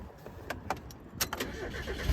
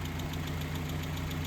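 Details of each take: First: Mazda Miata after engine repair; an earlier start smoked and made a weird sound, attributed to oil not yet reaching the top. Quiet start catching at about two seconds, then a steady, even idle with no knocking or ticking; healthy and no longer smoking. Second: Mazda Miata engine first start after engine repair: steady idle with quick light top-end tick about seven a second, smoke briefly suspected; owner suspects oil reaching the top, sound later went normal and temperature normal.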